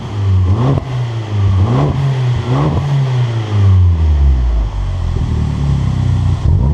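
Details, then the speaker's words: Abarth Punto Evo revved in sport mode, straight-through exhaust (2.5 or 3 inch) with only a back box: several quick blips sweeping up and dropping back cleanly, loud free-flowing note with no pops or bangs; normal, healthy revving. "It's a noisy little bugger, isn't it?"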